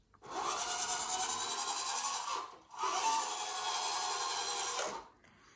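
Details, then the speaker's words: Tamiya 1/14 RC Scania TriDrive wrecker truck: two bursts of high, buzzy gear whir, each about two seconds, loud for its size; noisy drivetrain, gearbox or a rear axle suspected. "something I noticed with this at Nationals is it's very noisy compared to everyone else"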